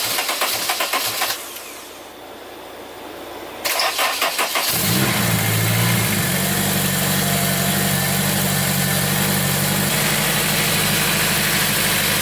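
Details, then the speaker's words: Turbo Honda S2000 on E85 after replacing worn injector seals (one pinched): brief cranking, then a clean catch and a steady, even idle with no misfire; fuel pressure about 50 psi, no leaks, warm 80°F day; engine sounds healthy. "oh yeah boys she's alive so chris has had 50 psi right now pretty good no leaks sounds healthy"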